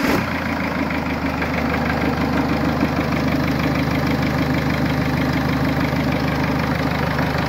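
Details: Mercedes A-Class 170 CDI diesel just restarted after replacing the failed turbo: steady even diesel clatter at idle with a smooth low drone, no knocks or whistles; normal idle, fault was the turbo.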